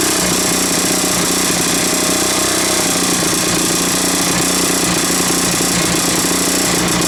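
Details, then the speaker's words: 1980s Mountfield AV85S two-stroke lawn mower, deliberately run rich: raspy fast running with hard, rapid rattling knock over the exhaust; knocking, possible terminal bearing damage suspected, unconfirmed. "nope they're in there mmm this might be a bit terminal after all"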